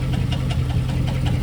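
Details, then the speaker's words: 2006 Chevrolet Silverado at idle after starter rattle fixed: steady idle with a sharp regular tick-knock about five times a second; owner suspects a cracked flex plate, possibly from the starter hitting it, transmission to be pulled. "sounds like the flex plate so I might be pulling the transmission off just"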